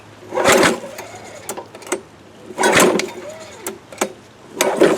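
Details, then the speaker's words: Free 1998-era Craftsman 22-inch mulching mower, 6.25 hp: repeated pull-cord yanks spin the engine briefly but it never fires after a shot of fuel; owner suspects no spark or flooding, intake found dirty; cause unconfirmed. "Oh yeah. Ain't even trying. Nothing? Nothing."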